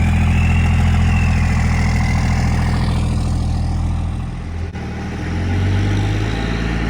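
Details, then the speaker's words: 1971 Dodge Charger Super Bee with a 383 big-block V8, leaking core plugs and radiator, cold start in the driveway before the engine is pulled. A deep, lumpy but regular burble at about 3.5 beats per second, settling evenly: healthy cold idle. "I'm going to yank this thing out with the Cummins so this way I don't fill the garage with fumes and then we'll get it fired up here in the driveway and have us some fun"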